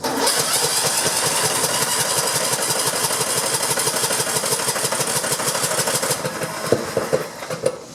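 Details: Riding lawn mower 4-stroke engine, after a hydrolock from a gas-filled crankcase was fixed and a fuel shut-off valve fitted: catches and settles into a steady, even chug with no misses. No longer blowing smoke.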